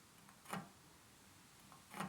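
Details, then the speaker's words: Bicycle wheel spinning slowly in a truing stand, its spokes out of adjustment and unable to pull the rim further: a single sharp tick about every 1.5 s, once per turn, as the bent rim near spokes 1 and 17 catches the stand. Bent rim rubbing; new wheel recommended. "There's the tape, and you hear it. I can't pull it out any further, the wheel."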